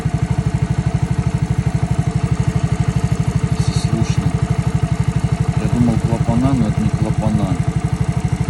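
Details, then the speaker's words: Alfa engine, suspected internal knock: steady clatter at about three beats a second over the idle; piston, wrist pin, connecting rod and crankshaft checked with no play; the cause was a loose rattling muffler. "Когда собирать начал это оказывается глушак Короче вот такой звук похожий [ __ ] на цокот от глушителя шёл и всё Вот и вся бляд проблема"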